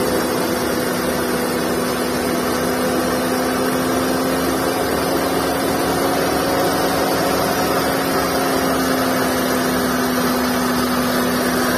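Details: Skoda Fabia engine at idle: steady low-pitched whine unchanged over an even idle from the V-belt drive, attributed to belt and tensioner bearing noise.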